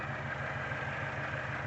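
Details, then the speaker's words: 2007 Chevy Cobalt with a misfire, coil already replaced, tested by unplugging coils one at a time: steady idle with a repeating low stumble each beat, unchanged when the cylinder one coil is unplugged; bad cylinder one fuel injector. "now there was a minor level of deception there i'd actually already checked this and i know exactly what the issue is the fuel injector on cylinder one is bad"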